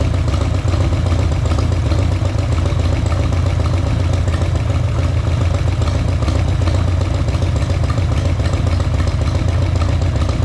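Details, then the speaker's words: Harley-Davidson Sportster, engine hot at operating temperature: light uneven tapping from front cylinder over lumpy V-twin idle, starts only when warm; owner suspects hydraulic lifters and poor oil, not piston slap, plans oil change. "если это на горячую стучит Да если бы это была поршневая она бы стучала сразу а это стучать начинает на горячую возможно дело реально хуёвым масле и это стучит гидрик"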